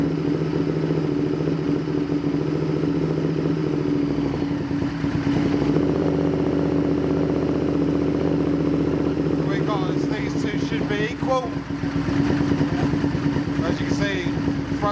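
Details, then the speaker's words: Honda VTR Firestorm V-twin on first start after carb setup: lumpy, uneven idle with hollow exhaust, one cylinder sounding lazy; vacuum differed between front and rear cylinders and it smells rich, so carbs likely badly out of balance. "cylinders got vacuum but yeah really didn't so smart yeah that basically you can smell is rich"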